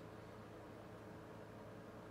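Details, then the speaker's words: Modern turbo fan running on low (speed one): a quiet, steady hum with soft, even airflow hiss and no ticks or rubbing; a gentle, quiet setting, much weaker than medium. "it's quiet it's got a quiet speed one your M of airfow output it's it's a gentle breeze it's nothing impressive really"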